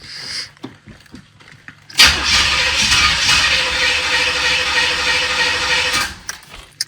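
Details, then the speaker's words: 1986 Corvette with rebuilt L98 TPI engine: the starter whirs steadily about four seconds without catching because the two-week-old battery was dead. "H battery was dead. Guess that's what I get for getting the value."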